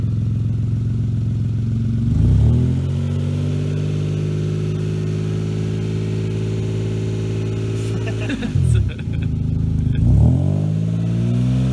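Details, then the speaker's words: 1995 Saab 900SE V6, no coolant in it: smooth, steady idle with a few clean blips up and back down, revving freely with no knock or misfire; exhaust seems okay, so normal running. "the exhaust seems to be okay there's nothing really anything wrong with it except that Michael owns it it's not a problem with th"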